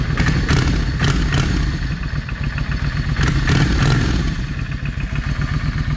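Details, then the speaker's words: Yamaha 650 V Star after carb cleaning: deep loping V-twin idle settling after light throttle blips, both cylinders firing and front cylinder now getting hot; fixed by clearing the clogged front-cylinder idle jet. "But yeah, the problem was the uh the idle jet. It was clogged. And I hopefully I got everything clean enough that I won't be having that problem anymore."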